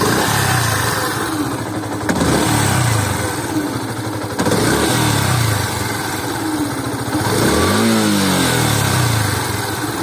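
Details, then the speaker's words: Yamaha FZS V3 (BS4) motorcycle at 6041 km, recently serviced with fresh full synthetic oil: as the throttle is released after revving, a thin sliding whistle rises and falls over the idle, seemingly from the engine; owner asks what causes it. "so please focus on the sound it's like this type like whistle type uh like this so it will be help me if you guys can tell what this sound causes so it's actually giving it when raving has been released right the throttle has been released then the sound is giving"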